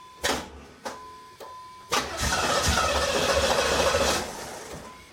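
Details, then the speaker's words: 1987 Pontiac Firebird Trans Am restoration, after fuel pump and sending unit install, no exhaust fitted: a few single clunks then steady cranking with faint pops, never catches; crank no start, owner wants more fuel pressure. "I heard it pop off a little bit so that's a plus a little more fuel pressure in here it's not fiery now"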